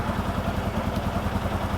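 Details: 2018 Odes Dominator 1000 X4 LT twin idling with injector 2 malfunction code, rpm bouncing; steady thudding idle with a lopsided beat, every other firing missing; running on one cylinder with a dead injector.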